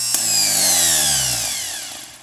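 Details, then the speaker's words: K5 Blazer starter after rebuild, bench-tested by jumping battery to the solenoid wire nut: sharp solenoid click, then a high whine winding down smoothly over two seconds, flinging grease; starter engages and spins freely. "And then you jump from the battery to the solenoid wire, but you don't do it where the threads are, you do it where the nut is, and it should spin up the solenoid and start spinning up."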